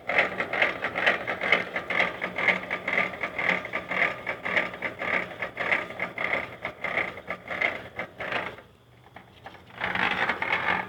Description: can anyone tell me why my bike is making that loud knocking sound please